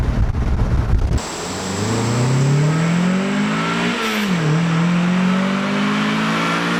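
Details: Turboed Mazda Miata (CX Racing V2 kit, different turbo, FMU adding fuel under boost) on a boost pull in roughly 105°F heat index with a new budget 340LPH fuel pump: clean climbing pitch, brief lift and dip midway, then rising again, no stumble or misfire; healthy.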